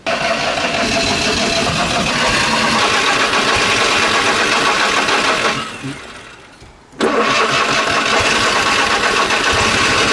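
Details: Fiat 126 left unused for 4 weeks won't start; with pedal pumping and cranking it catches, runs rough a few seconds, fades and stalls, fires again but won't keep running; flooding suspected, cause not confirmed.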